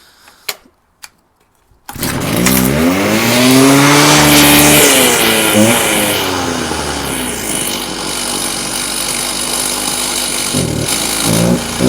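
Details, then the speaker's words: Stihl TS350 Super cut-off saw, first start after rebuild with new cylinder, piston, crank bearings and seals, compression 125, full choke: fires after sharp pulls, revs high but sags and stumbles mid-rev; bogging, low and high carburettor adjustment needed. "uh uh excellent we have a working saw um what i'm gonna do now it's just a bit boggy in places i'm gonna adjust a few things"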